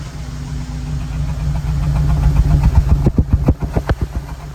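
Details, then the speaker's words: Honda Element with P0301, about 31 miles on it, after the check engine light came on while driving: lumpy, uneven idle chuffing about four times a second, with revs dipping as if about to die. Cylinder 1 misfire from a bad injector. "That is pretty bad."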